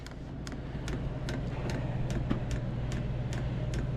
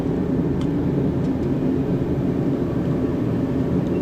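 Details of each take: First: Diesel heater trying to start, pump possibly faulty or lodged: sharp, slightly uneven ticks about 2.5 per second over steady fan rumble as the dosing pump delivers fuel; fuel pump ticking, cause unconfirmed. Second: Diesel heater on a low setting: constant low burner roar with a steady fan rush, no pulsing, sputtering or popping; firing cleanly, though the owner suspects its fuel pump may be failing.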